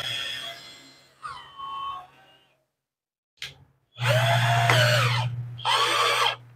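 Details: INGCO cordless drill after its 3S1P lithium-ion battery pack was repaired (about 12.3 V output): short trigger bursts, each a clean rising motor whine that settles steady. The drill spins up strongly and runs fine.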